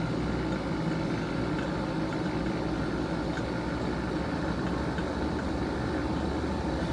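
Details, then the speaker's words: Vacuum pump evacuating a Mitsubishi inverter system after rusted compressor replacement, system open a while with suspected moisture: even steady motor drone and smooth low chug, no knocking, rattling or squeal; normal running. "Chugging along nicely. Check the oil here in a second. I'll probably do an oil change."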